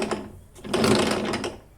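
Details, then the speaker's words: Ginge Classic lawn mower (Loncin engine), left wheel turned by hand: light, uneven clicking and scraping; left axle to gearbox doesn't turn while right does; sprocket spins freely as drive ratchet is packed with dirt and not engaging. "if I turn the right wheel the axle to the to the gearbox is turning but when I turn the left wheel the axle is not turning and it is also not sounding that"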